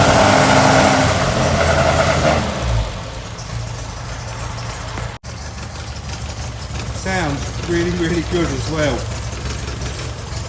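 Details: 1964 MG Midget four-cylinder first run after 29 years stored, after new coil, rotor arm, points, condenser, fixed electric fuel pump, flushed fuel system, new battery; air filters off: catches, revs strongly, settles to fairly steady, slightly lumpy idle, voices nearby; running normally.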